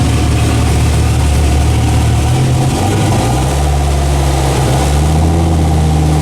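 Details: Dodge Ram SRT-10 (Viper V10 truck) newly fitted turbo kit with 3.5-inch downpipe, first start: loud, lumpy low rumble with uneven idle and raspy edge; exhaust leaks at old-gasket flange and possibly V-band collector, still untuned.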